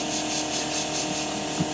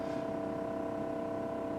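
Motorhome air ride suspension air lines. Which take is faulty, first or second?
first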